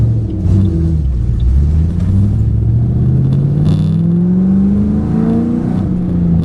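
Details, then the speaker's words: 2008 Ford Mustang GT after new MSD Blaster coil-on-plug set replaced coils (dealer reported 5 bad): deep, even engine rumble climbing smoothly through a gentle pull, no stumbles or hiccups; runs smoother and lighter. "Alright, so the new coils are in and it's time to go for a drive. It already sounds better. Sounds smoother already, lighter."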